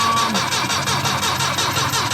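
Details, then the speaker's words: Saab 9-5 wagon with old fuel pump: steady fast cranking never catches or fires; turns over fine but no fuel delivered, pump being replaced. "no there's no there's no nothing no pushing no hey how did that"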